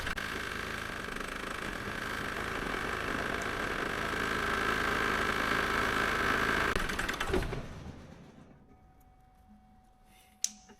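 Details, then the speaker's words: Diesel idling as each injector is unplugged in turn: number one gives a slight change, number two no change, unplugging number three kills the engine, number four leaves it on two cylinders. Suggests a dead injector. "so number one I unplugged it bit of a change but not loads unplug number two no change at all unplug number three it's just completely died so I'm going to try number four that's running on two cylinders"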